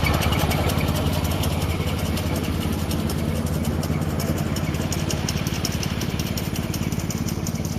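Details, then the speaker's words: Poulan 38-inch riding mower running: small engine with fast even chatter and rough whirring underneath, likely a dead idler bearing under the deck; owner will order replacements. "you can hear that there's an idler bearing or something underneath that's dead i'll go ahead and order them"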